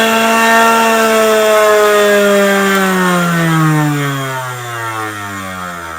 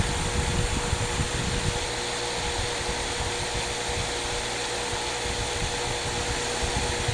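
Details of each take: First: Harbor Freight variable-speed tool (up to 10,000 RPM) on its lowest setting: high steady motor whine sinking smoothly as the wheel coasts down; still far too fast for sharpening, would heat the tool too quickly. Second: Loose cotton buffing wheel with green compound: steady hum with airy rush at even pitch, no clear load change; buffing wheel running normally.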